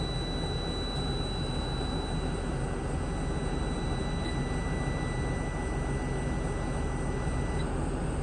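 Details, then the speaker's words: 2022 Tiffin Allegro Red 38KA diesel RV at idle during an air brake test: about 70 PSI on each tank with the warning light off, steady running with a faint whistle as the compressor builds pressure normally toward the 125 PSI governor cut-out. "Warning light is off. We've hit about 70 PSIs on each tank. And what we're going to do is we're going to listen and hear that compressor kick off once we hit the governor about 125 PSIs."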